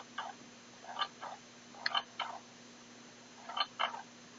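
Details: Xiaomi Mi Drone transmitter right control stick makes short scratchy clicks and creaks in irregular pairs when moved.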